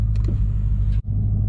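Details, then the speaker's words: Dodge Challenger Hellcat with mid mufflers deleted, after an exhaust shop fixed a rattle/shake heard while driving: deep, steady V8 idle rumble with even beat, no rattle or buzz from exhaust; normal exhaust note after repair. "she did it right got her figs she sounds good no more no more rattling no more shaking yes sir"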